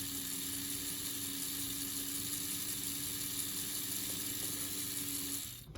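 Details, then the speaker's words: AHM/Rivarossi 2-8-2 Mikado model locomotive, unrun for 15 years, after oiling, running in forward: quiet, steady small-motor whir at one even pitch, smooth and unstrained; the motor sounds healthy. "Seems a little slower on forward, but that's probably because this was mainly used in forward. Honestly, it sounds healthy. It doesn't sound like it's really struggling at all."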